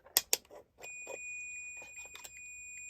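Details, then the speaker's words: Heat detector believed to be a permanent type, with a spring plunger held by heat-melting metal, now cooled: a few handling clicks, then a steady high buzz that keeps sounding. The link melted and the detector stays tripped, with continuity remaining; unit no longer usable. "I believe this is that type. So in other words, now this is no longer any good because it's been used, and you can see it's cooled down,"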